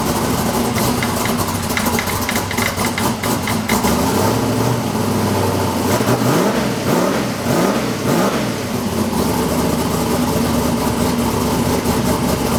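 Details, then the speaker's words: High-performance V8 street car on its first start since TX2K, with a battery that had been dead: loud lumpy idle with short revs; the faint knocking is the belt tensioner hitting itself; normal running, good oil pressure. "That little like knocking noise that you hear, that's just the belt tensioner like fully hitting itself."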